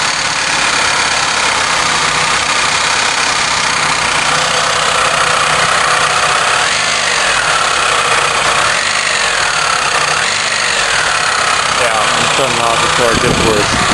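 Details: Iron Duke engine at idle, getting worse after recent driving: a steady, heavy knock in time with the engine. The owner first suspected rod knock; a spun bearing is given as the cause.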